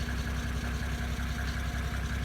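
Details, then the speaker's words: 1980s Mercedes-Benz diesel, first start after rebuilding and pop-testing the injectors: steady low diesel clatter at idle, even with no misses, runs smooth with no smoke. "one smooth hurt and more importantly there's no smoke"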